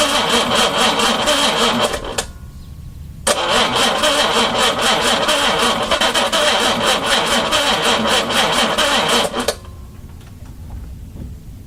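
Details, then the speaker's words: 4.2 engine on its first day turned over, carbs primed by hand and fuel pump not yet fitted: the engine catches after a brief crank, settles into a steady, busy idle with an even beat, then shuts off; it sounds healthy. "Okay, I'm going to leave it alone now. I'm a happy guy. That all sounds good."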